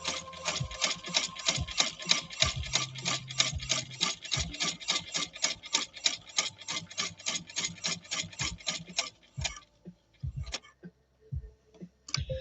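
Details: 170th Anniversary replica sewing machine sewing four layers of denim, after a needle bar misalignment was fixed. Crisp, even ticking at about three stitches a second with no knock or drag. The machine sews cleanly.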